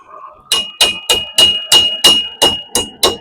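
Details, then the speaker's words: Hammer blows about three per second with a clattery, bouncing ring over a faint ping: heated metal part for a 5-ton crew cab seat build still jumping on the anvil, not yet flat; a clear anvil ping means done. "See her jumping around? I mean, she's not down there flat, so you gotta heat her up, give her a little McLovin without burning her biscuits."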